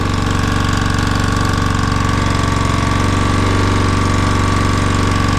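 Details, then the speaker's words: Honda GX120-powered air compressor that had no compression, first run: loud steady single-cylinder thump with rough uneven beat and faint whine while burning off excess oil. "Might take a minute to burn off all the excess oil and everything."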